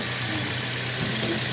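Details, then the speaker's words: Toyota Vios gen 2 petrol engine idling quietly and steadily with no rattle or knock, after cleaning sludge-clogged oil pan and oil pump strainer that had caused loud engine noise and oil warning light; normal idle after repair. "Start ohik na wala ng ingay oh. A normal o yun ang normal tahimik walang kalansing"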